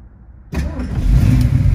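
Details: 1970 Ford Mustang Boss 302 V8, 4-speed manual, after a rotisserie restoration. Quiet, then it catches at once and rises into a strong, steady low rumble with no hesitation; a clean start.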